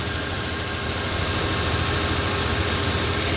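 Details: Toyota 4Runner after a coolant leak repair: a steady, even low rumble at idle with no knocks, misses or rattles. The new part is not leaking and residual coolant is smoking off. Normal idle.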